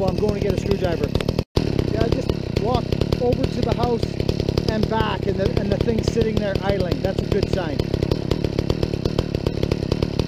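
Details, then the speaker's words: Chainsaw (Husqvarna vs McCulloch comparison) on a stock chain with rakers mostly not filed, revved hard: a ragged, crackly scream with an uneven burble over laughter, "sounds terrible". It runs rough; the owner later tunes it in the wood and has heard these saws may be governed. "that sounds terrible"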